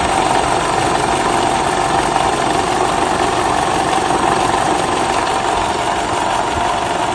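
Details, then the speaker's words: Toyota Camry 50, 2012, 2.5 engine, about 150,000 km, warmed to operating temperature, brake held in Drive: steady engine-bay hum with an even buzzing whir, no distinct knock; balance shaft noise. "а это уже наше видео включаете а обучайте такой звук издают балансировочные валы поэтому если вы у себя услышите такой звук вы его узнаете"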